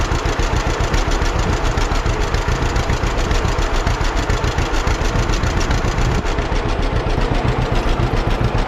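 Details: 1946 John Deere BN two-cylinder tractor on a 47°F day, after carburetor rebuild and governor throttle control rod adjustment to fix earlier surging: steady, even chuffing about 3.5 beats a second, no hunting or surging. Healthy, settled idle.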